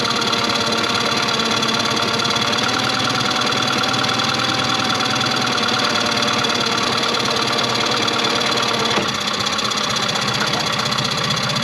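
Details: 2001 Yamaha 15hp four-stroke outboard that sat unused in a barn for over 5 years, after a full service, bottom-cylinder compression about 205–210, idle mixture screw around 1.5 turns out; steady, even idle with a quick regular beat and no misses. Normal idle.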